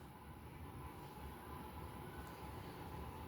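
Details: Craftmade 52-inch outdoor five-blade ceiling fan, restored from heavy rust with new blades, original brackets and a replacement for its failed capacitor: a smooth, steady low hum with a soft rush of air and no ticking, scraping or wobble. Normal running.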